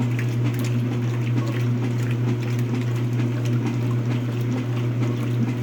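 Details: Speed Queen washer running: water sloshing over low steady drone with uneven swishing pulse about once a second; strange sound, owner suspects bad transmission, unconfirmed.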